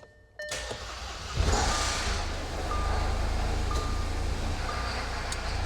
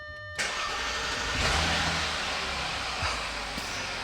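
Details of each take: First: Junkyard supercharged Audi A6 that started unexpectedly: catches, then a loud uneven run with scattered metallic ticks. The owner fears the chain skipped with no oil pressure in the timing tensioners, or that residual fuel pressure ran out. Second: Junkyard-rescued supercharged Audi A6, started on a jump starter: quick crank, catches cleanly and settles into an even, quiet idle with no timing chain rattle, only fan noise; healthy start.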